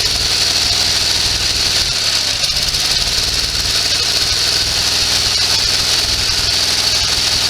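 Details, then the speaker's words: Sears SS16 garden tractor with an Onan twin, revived after years sitting, mower deck engaged after driving in gear. The loud twin has a lumpy, uneven beat and stumbles partway through. It is running on one cylinder, cause unknown. "so lower deck does engage but for some awful reason it's running on one cylinder now"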